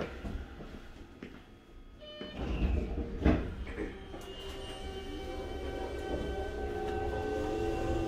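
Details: Toei 5300 series set 5315, Mitsubishi GTO-VVVF, on Keikyu line rapid limited express (Misakiguchi–Kanazawa-bunko), in-car recording: pulling away, motor tones climb steadily in pitch with a rough odd edge, abnormal inverter noise.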